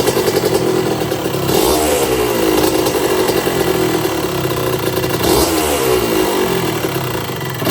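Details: 1982 Suzuki RM125 two-stroke during restoration, after spark confirmed and a part swap: crisp ringing buzz rising and falling cleanly with throttle blips; pulls evenly, sounds nice.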